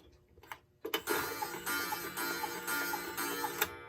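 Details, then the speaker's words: Late-1950s Bachmaier & Klemmer cuckoo clock: a single short whistle note repeats with no second tone, "kook" instead of "cuckoo", as one bellows isn't sounding; the suspected whistle box had no new Tyvek paper. "And I don't know if you can hear it, but I'm not hearing both bellows sounding. It's not making cuckoo. I'm just hearing kook."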